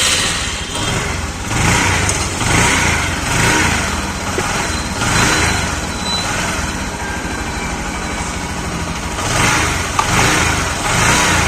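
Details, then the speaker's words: Bajaj Platina single-cylinder bike after repair of engine knocking (earlier blamed on a broken crank bearing; camshaft/rocker advised as likely source): gently wavering idle beat with no sharp top-end knocking; engine noise fully gone, normal idle. "तो गाड़ी के अंदर जो engine के अंदर sound आ रही थी ना वह पूरी तरीके से खत्म हो गई है"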